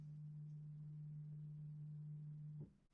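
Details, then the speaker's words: 2019–2020 Mercedes-AMG C63/C63s, rear brake pad replacement mode activated from dash menu: faint steady hum about 2.5 seconds then soft clunk as rear electric parking brake moves to service position; normal. "So we're gonna hit that, press OK. You probably might not hear it, but it's moving to position. This is only for the rear brakes."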